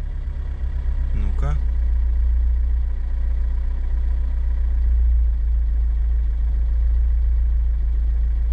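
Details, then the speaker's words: Chevrolet Niva after fixing an air leak found with a smoke generator, warm at 81°C, idling around 840 rpm: steady even idle with a faint slow wobble, much smoother than before when it nearly stalled. "Ну слушайте конечно ровнее ровнее стал работать мотор есть какое-то колыхание"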